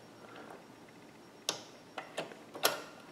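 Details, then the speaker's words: Singer Ingenuity sewing machine: a few sharp, uneven clicks as the needle drops, with no stitching rhythm. It isn't sewing because the hook (bobbin) timing is out, causing it to jam. "and you hear that clicking it it's clicking it's not actually sewing anything"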